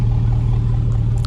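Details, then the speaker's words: 5.3 Chevy Silverado V8 started after six months sitting outdoors in Wisconsin snow: deep, loud, open rumble at idle with no muffling, the muffler having rusted right off so it runs like a straight pipe. "I noticed my muffler and just rusted right off I mean looking that and pretty straight line but it rusted straight off"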